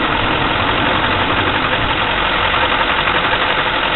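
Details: 2004 diesel 6.6 at idle: clattering with an uneven, lumpy beat instead of a smooth steady run; rough idle, cause not stated.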